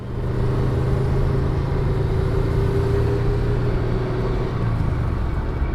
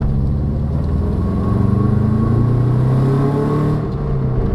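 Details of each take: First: Subaru GC8 on a test drive at light throttle after replacing the roaring rear wheel bearing, with a cheap bearing and new seals. Steady low road rumble with no hum or growl rising with speed; the rear bearing is now quiet. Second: Subaru GC8 coasting in neutral with the engine not revving: deep, steady droning roar from a worn rear wheel bearing.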